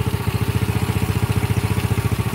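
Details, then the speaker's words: Old Honda Grand small single after engine reassembly with new carburetor, bike that won't rev high: even low thumping idle, steady with no stumbling or hunting; normal idle, fault only appears when throttled. "Oke, ini mesinnya sudah kita rakit dan suaranya sudah cukup halus ya teman-teman."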